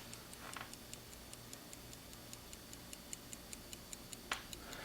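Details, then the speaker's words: 1971 Tochmash Vesna mantle clock after gunk was removed and the points were lightly oiled. Crisp, evenly spaced ticks carry on steadily with no drag or hesitation; normal ticking. "okay so i got all of that off and then i've lubricated these points very small amount of oil as you saw and this thing is still still ticking you can hear it"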